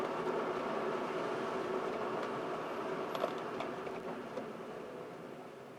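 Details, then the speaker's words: 2014 Mercedes CLA 250 4Matic, test drive after resets, microphone in the rear: only soft even road and tyre rush with no whine or clunk; earlier driveline noise from the rear is gone. "hopefully you'll be able to hear that there's no more noise so I'm going to go on the same route and let you hear for"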